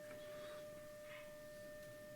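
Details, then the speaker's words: Philips BX626 tube radio, dim-bulb limiter stepped to 211 V AC with B++ about 186–187 V, phono test tone: a clean steady mid-pitched tone at even volume, no hum or crackle; volume about unchanged; the amplifier passes signal properly. "and that shot up to 211 volts. The volume is about the same."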